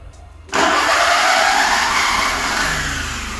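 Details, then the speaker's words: VW Gol G5 with the crank reluctor wheel installed several teeth out of time: the engine fires, then revs sag and fade because the ECU can't identify cylinder one or set ignition timing, so it runs very weak and won't stay running. "Mas como tá fora de sincronismo aqui na roda fônica ele não mantém ligado porque aqui ele não consegue fazer a o cálculo de que cilindro é o primeiro cilindro"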